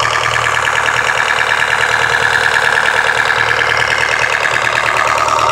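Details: Nissan SR20DEH engine: a high, warbling chirp pulsing two or three times a second with almost no low rumble; abnormal noise, source unclear.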